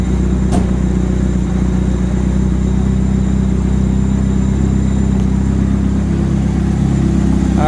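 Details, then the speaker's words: 1991 BMW 318i, 1.8 L inline-four. It stalled on starting after a cold air intake was fitted; the idle air control valve was cleaned to fix it. After cleaning it starts and settles into a smooth, even idle with no stumbling or surging. "right as you guys can see it's idling pretty nice now"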